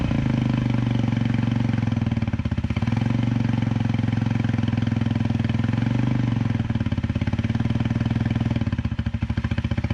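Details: 2010 Dongfeng DF250RTB 250cc single-cylinder air-cooled motorcycle, sat 10 years, revived: steady, even idle with gentle rises and dips while warming up; runs cleanly.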